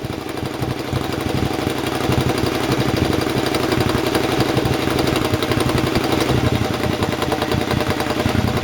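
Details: Rebuilt open exhaust just fitted to a Triumph: uneven, lumpy running with sharp pops as revs fall. The still-connected AIS air injection system makes it run lean and pop; the owner intends to disconnect it.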